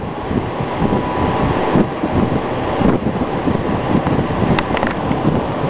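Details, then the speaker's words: 1950s Mimar Dynafan two-speed table air circulator, believed 1/4 hp motor, switch reportedly broken so only low works: steady air rush over a low, even motor hum, no ticking, rubbing or wobble; normal running on low speed. "This is on low speed. I can switch it. This is just on low speed right here."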